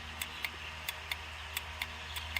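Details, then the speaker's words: Poultry feed line control pan, cover removed during repair of worn galvanized-steel/Mylar gasket: crisp light clicks, about eight in under three seconds, over faint low hum as the plunger micro switch, worked by the flapper's back side, snaps over cleanly; normal operation. "That is our micro switch. Now this piece, this is the back side of that flapper, and this is what works the micro switch."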